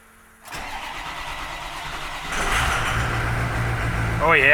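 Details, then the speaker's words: After replacing driver-side battery with a Motorcraft unit and new positive terminal, about 50°F: brief quick crank, engine catches into steady strong idle, a little smoke; healthy normal start. "that sounds nice [Applause] that sounded pretty good"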